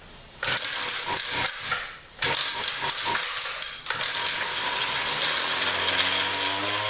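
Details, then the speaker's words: 2-stroke weed whacker, a 200, after cleaning and remounting the carburetor and starting on full choke: sputters and cuts out a couple of times before revs climb and hold; initial throttle hesitation persists despite adjustment. "Well, it runs better than it did. Doesn't seem to be, no matter what I do, I can't seem to get that initial hesitation to go away."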